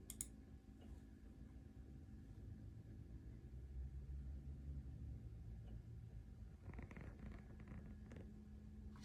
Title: Alienware Aurora R16 clicking noise